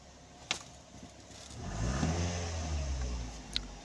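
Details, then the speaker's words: Toyota NZE engine with P0300 misfire and shaking, after replacing the ignition coil and PCV valve. Revs rise evenly and settle back with no stumble, rough idle or stalling: normal revving. "Acceleration is smooth, no rough idling, no stalling."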